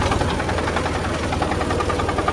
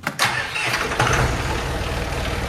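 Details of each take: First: John Deere 5400 diesel tractor after shifting into park before the hydraulics left reverse, which ground and stalled it; steady low pulse with rough gritty note, owner suspects broken parking mechanism, not confirmed. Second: John Deere 5400 tractor with hydraulic reverser transmission, first start after being split in half and reassembled to fix a noise. Starter cranks, catches, then a steady even diesel chug settles into idle with no knocks or grinding, running healthy.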